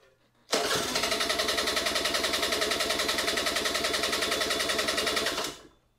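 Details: Rare 1994 Honda EZ90 Cub with fresh fuel and carb cleaner sprayed in the intake: the small single catches straight away and runs with an even, crisp putter for about five seconds, then shuts off.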